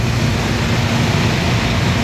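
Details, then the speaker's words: Industrial air conditioner blower motor after resetting its motor protector, earlier squealing, rotation direction checked: steady deep even rumble with no knocks, rubs or squeals; normal running. "nice and smooth no noises oh wow that feels actually kind of good"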